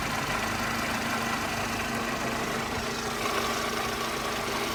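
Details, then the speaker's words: Mercedes SLK R170, warm after running a while, recorded at the front of the exhaust with the bonnet open. It idles smoothly with a soft steady hiss and no puffing or chuffing. No exhaust leak is heard or felt. "certainly can't hear anything unusual here"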